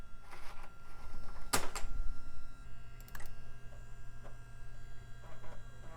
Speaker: and it works and it sounds lovely